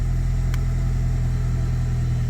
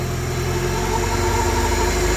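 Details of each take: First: Honda Civic EK, troubleshooting no-start/stalling with suspected worn cheap fuel pump, running after restart: smooth, low idle with gentle rise and fall in revs, no misfire or knock; normal idle. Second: Honda Civic EK, warm after running half an hour despite start-and-stay-running trouble, fuel pump suspected; fast, steady even idle around 2000 rpm with no hunting; high idle, idle air control suspected, not confirmed.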